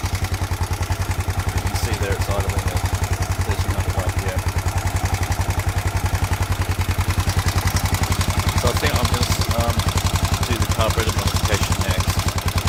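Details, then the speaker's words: Honda XBR 500 after the valve clearance reset (intake .10 to .15 mm, exhaust .12 to .19 mm), idle lowered from 2000 to 1300 rpm with no stalling: sharp, even ticking three to four per second; exhaust clearance too loose. "so standard was 19 for the exhaust no stad was 12 for the exhaust and i've now got switched to 19 which seems too noisy so i'm going to switch back to 15"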